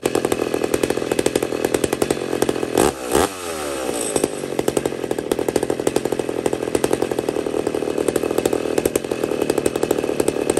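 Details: McCulloch 850 chainsaw with a heavily worked ported cylinder: screams at a steady high pitch after a quick blip, clean and even with no bogging, still with a little more rpm left; healthy, strong-running engine.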